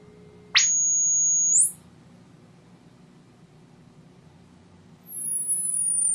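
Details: Electro-Voice T35-type horn tweeter (Klipsch K-77) after diaphragm replacement, fed through a capacitor to block lows and DC; pure tone steps up cleanly then glides down, no buzz, rattle or distortion: normal tweeter tone.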